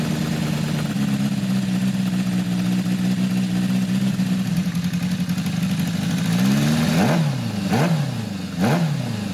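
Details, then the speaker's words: 1980 Kawasaki KZ1000-A4 four-cylinder with leaking head gasket, stripped head bolt and aftermarket flat-slide carbs: uneven lumpy idle, rough throttle blips that hang, sounds like one cylinder down; misfire, owner says it runs better warm. "better still sounds like one's down"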